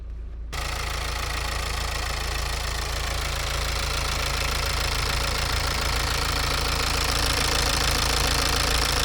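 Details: Diesel warm at 87°C, idling: even quick sewing-machine tick about three per second; OBD injector corrections all near zero (+0.30 to -0.12), injectors healthy and balanced.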